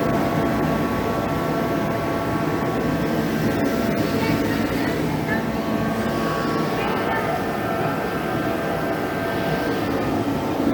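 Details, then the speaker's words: HeatStar 185,000 BTU diesel/kerosene forced-air heater, left on a snowbank for weeks because it didn't work, after cleaning and reinstalling the flame sensor, running low on diesel (about two gallons): steady even fan and burner roar with a hum, no sputtering or surging; firing and running properly. "okay it's working we're gonna shut it off"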